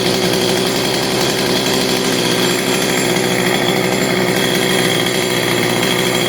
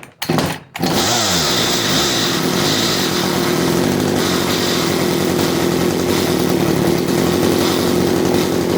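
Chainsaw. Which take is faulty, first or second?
second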